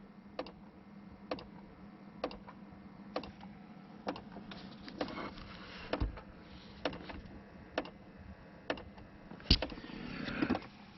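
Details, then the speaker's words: 2005 Ford Explorer with no heat from the vents despite a fully warm engine, heard at the dash corner as the heat selector turns from cold: sharp, even ticks about once a second from a blend door actuator whose plastic gear teeth have broken off. "a ticking sound that when the actuators go bad, and that's pretty common on a lot of different vehicles. These actuators have plastic gears in them and the teeth break off."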